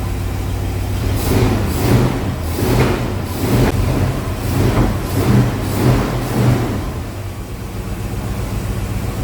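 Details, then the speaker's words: 1973 Pontiac Ventura, rebuilt 350 Pontiac V8, TH350 automatic, after bad gas and carburetor replacement, first start, cold: rough idle with a dull pop about every second; four-corner idle screws uneven, mixture suspected. "so we'll start it up and we'll start going through them get this four corner idle set and I bet that pop goes away"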